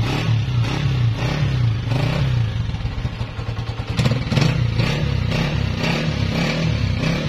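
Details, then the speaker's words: 2017 Honda CG 125, 30,000 km, after replacing cam gear, half kit, magnet seal, piston rings and engine oil: single-cylinder blipped, settling to a steady even thump with no rattle; noise fully cleared, normal running. "जी तो दोस्तों आपने इसकी आवाज भी check कर ली अल्हम्दुलिल्लाह आवाज 100% clear हो चुकी है"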